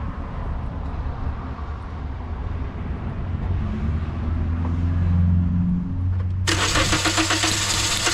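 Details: 2010 Toyota Corolla, crank no start: starter cranks steadily at about four beats a second but the engine never catches; fuel pressure gauge test confirmed a defective fuel pump.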